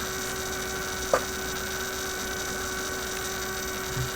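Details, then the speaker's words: Vintage 1967 Heathkit project kit AM transmitter build; noise persists with circuit disconnected, constant unchanging hum with one faint click coming from the single-wire bench power supply itself — mains hum. "okay so my supply is simply putting out this noise here duh"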